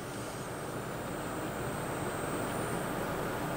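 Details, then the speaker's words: Water-cooled, heavily overclocked Gainward GTX 580 3GB cards under load testing with Corsair AX1200 PSU: thin steady high-pitched whine over dense rush of cooling fans and pump. "So they're under heavy load. You might be able to hear that high-pitched whine."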